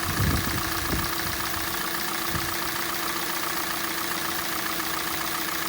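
Steady cold idle with a light, uneven knocking ticking through the engine hum, roughly three to four a second, cause not yet pinned down.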